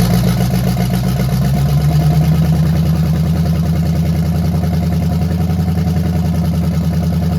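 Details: 1968 Chevelle with a free small-block Chevy V8 swapped in, cheap headers, Edelbrock carburetor, first start: uneven, lumpy idle about three to four pulses a second; still rough, carburetor fuel delivery issue.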